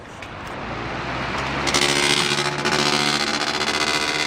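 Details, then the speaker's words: Brand-new Polar Wind fan, broken out of the box, turning only after a screw was removed: spins up, then a harsh scraping hiss sets in and stays at speed; blades rubbing against something, possibly a bolt. "it makes that fabulous sound. Something's rubbing against something else somewhere."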